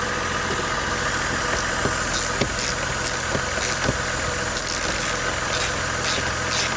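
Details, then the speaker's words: 2005 Buick Rainier six after a misfire with flashing check engine light, coil replaced and codes cleared: steady, even idle with light regular valvetrain ticking and no stumble; normal idle. "Looks to be running smooth. So I can go ahead and put my tools up and test drive."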